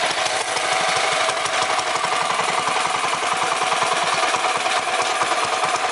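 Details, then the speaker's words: 212 Predator mini bike with a PWK-style carburetor at idle: an uneven chugging with a breathy "shush" over irregular thumps, running lean and starving for gas. The fix is to turn out the small bronze air mixture screw at the bottom of the carb. "you hear making a sound it was making a shush sound because it's not getting enough gas"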